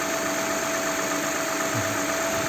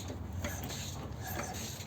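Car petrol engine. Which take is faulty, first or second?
second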